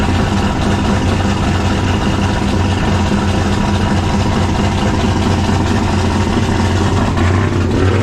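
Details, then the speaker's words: 1995 5.9L Magnum V8 in a 1951 Dodge one-ton dually, first start after a Comp Cams Xtreme Energy cam and 60 lb injectors: loud, choppy, lumpy idle; two cylinders seem not to fire, plug wires suspected. "we should probably make sure it don't plug off because it sounds like it's a little too choppy"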